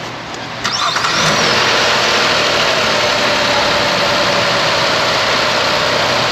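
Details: Engine start with AC switched on after front-end harness and fan controller replacement: short crank, steady idle, fans kicking on with an even whoosh instead of blaring, engine not yet at operating temperature; fan control fixed.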